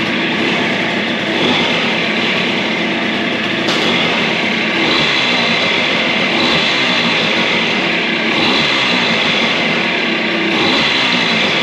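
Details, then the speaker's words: Suzuki DS90 two-stroke after rebuild with used replacement crank, first heat cycle, idle adjusted up as it was a little too low: bright, raspy note runs evenly at a fast idle without misfires or rattles; good health. "let's give it a go and give it its first heat cycle sounds good to me"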